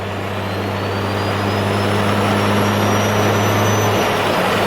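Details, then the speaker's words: Toyota Supra, cruising barely on throttle in sixth at 50–60 mph: a sharp high turbo whistle climbs over the engine drone, made insanely loud by the removed speed sensor leaving its port open. "so removing that thing just made this thing just insanely loud"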